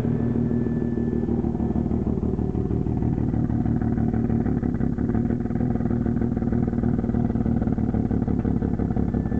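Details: 1992 Mazda RX-7 Efini FD with used JDM rotary swapped in, unknown km, non-sequential setup, no compression test yet: loud, busy idle with uneven lumpy pulse and clattery edge, engine runs strong; rough idle, cause not confirmed.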